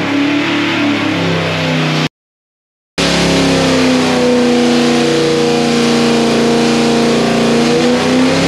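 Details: 408 ci small-block Chevy "Project Sleeper" built to look like an early-1990s 350 crate engine, with a ported Holley Street Dominator intake and 800 CFM Quadrajet, on the dyno; smooth, even rising pull under full load, no stumble; healthy.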